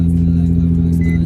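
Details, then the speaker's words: Nissan 350Z after fuel pump assembly fix, new battery and two bad ignition coils replaced: smooth, even low hum at idle with steady beat, no knocks or rattles; running normally again. "and then now the car works perfectly like normal so here's the keys as you guys can hear"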